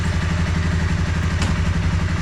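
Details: 2013 Honda CBR250R single-cylinder motorcycle bought cheaply at auction, on a paddock stand after clutch cable free-play adjustment: quick, regular low putter at steady idle, no ticking or clatter; healthy idle.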